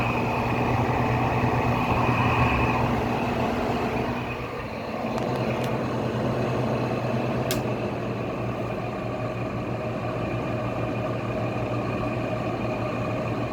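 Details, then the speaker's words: Goldstar WG5004 window air conditioner on low fan: rough, steady grinding drone with low hum under the airflow; noisy worn fan motor bearings, though spin-down time is still good. "See, without that grinding noise, it'd probably be really quiet, because you can't even really hear the fans that much."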